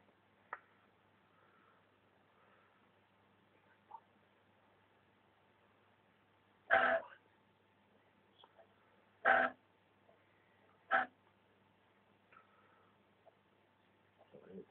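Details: Panasonic DMP-BD30 Blu-ray player humming faintly, with three short, rough grinding bursts a couple of seconds apart as each part of a disc loads; playback is fine, and the owner fears the laser is failing.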